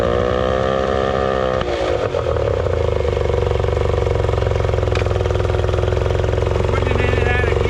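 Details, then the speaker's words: 1989 Yamaha 30 hp two-stroke outboard after exhaust gasket repair and reconnecting the throttle arm ball joint: steady but noticeably fast idle with no dips; owner feels it runs high throttle, possibly needing adjustment later. "Feel like it's running a little high throttle, so we might have to make some adjustments when it's on the boat."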